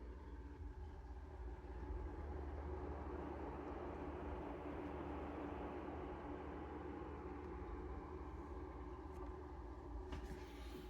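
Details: Cooler Master Cooling X PC at idle, with the microphone next to the SFX power supply: a steady whooshing drone and low hum. The PSU fan never turns off and is the loudest component, though the PC is advertised at about 20 dB at idle.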